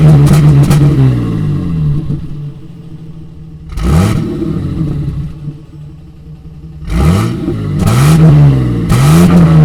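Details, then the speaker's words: 1988 Toyota FJ62 Land Cruiser after replacing its rusted, leaking exhaust with a new stainless system: repeated revs rise and fall cleanly with a deep even burble at idle, no rattles or leaks; healthy exhaust. "i was just trying to show you the little bit of a burble we're getting at this new exhaust it's pretty nice"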